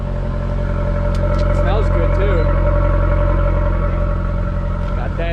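Steady, even low exhaust drone at idle with no rattles, puffing or blowing leaks; exhaust sounds healthy and sealed.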